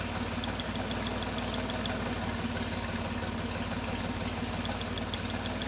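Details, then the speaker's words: 1968 Jeepster Commando with Buick V6 at idle: uneven stumbling beat, about three lumpy pulses a second; misfire on the rear cylinder, checking by pulling its spark plug wire. "So, [sighs and gasps] the misfire is the cylinder in the back. And this is the spark plug wire for it."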